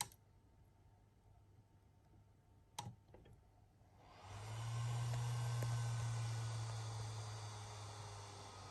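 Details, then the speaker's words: Atomos Ninja V monitor, in use about a week, in a quiet room: near silence with a faint tick, then a low steady cooling fan hum comes up and stays; fan usually noisy at first then quiets; cooling fan noise. "been using this unit for about a week and normally kicks on makes a bit of noise at first and then quiets down"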